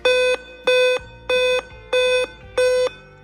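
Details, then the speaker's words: Dell laptop at power-on: five short, evenly spaced loud beeps, pause, then repeating; attributed to a dead CMOS battery: 5-beep startup code (CMOS battery failure). "As soon as we turn on our device , 5 short beeps in a row with a loud sound. After taking a break, the same 5 short beeps continue in the same way, and this continues on the computer."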